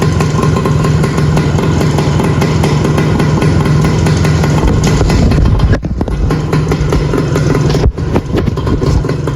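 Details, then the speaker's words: 1981 Suzuki TS185 two-stroke after fixing oil leaks, fuel poured through carb, little smoke; crisp even idle burble, no misses or rattles, holding oil; normal two-stroke idle. "I've got it idling. It's absolutely running mint and it's holding oil."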